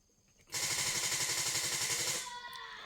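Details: Car that has barely been driven for over a week won't start again: about two seconds of fast, even clicking, roughly four a second, with no engine catching; no-start with rapid clicking, cause not confirmed.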